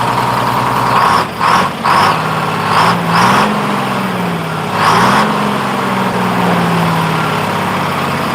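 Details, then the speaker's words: 1948 GMC Silversides Greyhound bus, freshly in-frame rebuilt Detroit 6-71 two-stroke diesel. Blips up and pitch hangs high, drifting down slowly instead of dropping back; idle hanging up, owner to readjust governor buffer screw, unsure why it changed. "Like I need to readjust my buffer. The idle's hanging up there, so I will go get a wrench and a screwdriver and reset that buffer."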